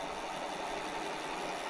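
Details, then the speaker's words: BBS02 mid-drive motor damaged after conversion to 72V, sensorless start parameters adjusted, spinning free: a loud, steady mid-pitched whirring hum that oscillates up and down. The rotor may be damaged; cause unclear. "I think that noise like it just sounds really loud now it's working but it seems really loud so let's get it spin in here and see see what happens it's kind of like an oscillating"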